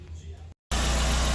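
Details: 2012 Renault Sandero petrol engine after repair, where a washer was added and tightened: a steady, even idle with a smooth low hum and no rattle or knock; the earlier noise has stopped.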